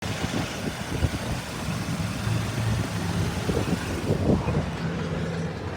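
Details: 1997 Toyota Tacoma at idle with a low, rough, uneven knocking rattle; owner unsure whether it is a bad catalytic converter or engine knock. Cause undetermined.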